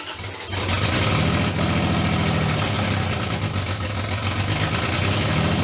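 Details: Toyota 2JZ in a Datsun, restarted after vacuum lines redone to fuel regulator, after VVTi rebuild; fast idle with uneven loping beat and irregular stumbles, high and rough, owner suspects misfire or not firing on all cylinders.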